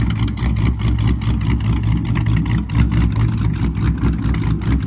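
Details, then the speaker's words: Dodge Charger SRT8 426 Hemi V8, idle lowered to 800 rpm from 850 for a slower chop: deep lumpy idle at about two even pulses a second, smooth and steady without misses. "let me know if you liked it before or now I personally like my idle to be lower so it can chop slower and nicer and all that"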